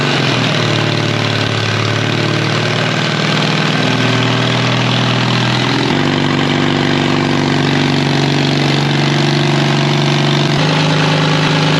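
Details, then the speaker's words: 1939 Caterpillar D4 (D4400 diesel) being turned over by its gasoline pony motor at half throttle, full choke; pony motor drones steadily, pitch stepping up near six seconds, but diesel never fires because fuel from the main tank was shut off while bleeding. "everything was going we were starting to build fuel pressure and then all of the sudden no fuel's coming out anywhere and I'm going what what's going on here I had the fuel off coming from the main tank"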